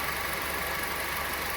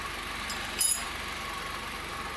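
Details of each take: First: 2014/15 Honda Civic LXR 2.0 16-valve after repair of the accessory belt tensioner noise: smooth even idle, tensioner now steady, no rattle or knock; normal idle. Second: 2014/15 Honda Civic LXR 2.0 16V, cold engine at idle: faint steady low ticking knock at engine speed from accessory belt hydraulic tensioner that lost pressure; noise stops when tensioner is forced with a wrench.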